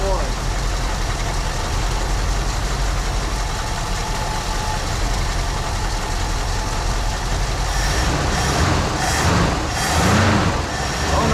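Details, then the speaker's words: 1974 Ford Bronco V8, first start in over 16 years after fuel system work; little knock, good oil pressure; loping idle with stumble about once a second, steadying, owner suspects one cylinder down. "Had a little knock, but oil pressure came right up. Not running on all 8. It's idling."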